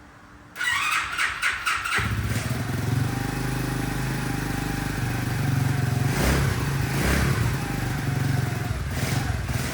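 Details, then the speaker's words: CT70 clone small single-cylinder with Nibbi carburettor after jetting adjustment; fires up and holds a fast, even idle barely with choke off, takes three crisp throttle blips without bogging, unlike before; air-fuel screw still needs a tweak. "It's actually idling with the choke off. Barely."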